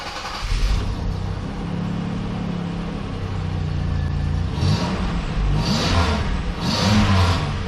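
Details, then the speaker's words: Car just fitted with a welded-in pipe where the catalytic converter was cut off: engine catches and settles, then clean throttle blips with deep steady exhaust, no rattles or leaks; sounds much better, normal. "much better i think this will work man quick and easy"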